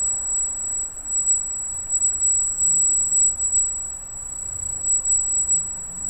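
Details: Freshly installed Arris CM2000 brushless gimbal holding a GoPro Hero with FPV cable offsetting the balance: constant thin high-pitched whine at one pitch over a faint low hum, squealing like crazy; gimbal motor whine the owner considers part of the setup.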